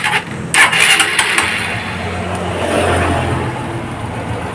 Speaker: jadi mesinnya mengikuti irama putaran G jadi enggak sendat-sendat